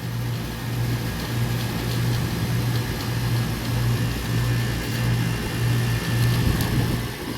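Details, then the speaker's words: Carrier rooftop package unit, not cooling because of a tripped breaker, jumpered into cool mode: the compressor runs with a steady low hum and faint airy background, no knocking or rattle. It draws 5 amps, not locked-rotor amps, so it runs normally. "pressors on pulling 5 amps which is not bad at all"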